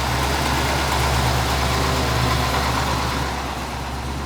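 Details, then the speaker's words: Square body dually with a newly fabricated full exhaust replacing a badly leaking one: smooth, even idle with a steady low beat and no ticking or puffing from the exhaust; quiet and sealed. "wow i can hear myself talking listen to that listen no exactly look it no exhaustly wow"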